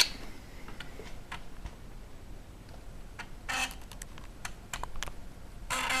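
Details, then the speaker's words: Samsung SFD-321B PC floppy drive on Amiga after taping over the HD hole so the disk reads as double density: soft irregular head-step ticking with short buzzy seek bursts over a quiet hum; sounds different, loading straight into the demo, normal read. "that sounds different and we are going directly into the demo"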